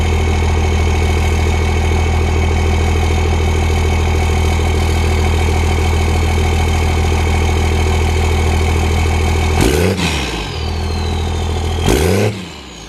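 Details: Diesel truck with turbo exhaust, started up; deep, even diesel clatter at steady idle, no knocks or misfires, sounds good but kind of smoky; normal idle.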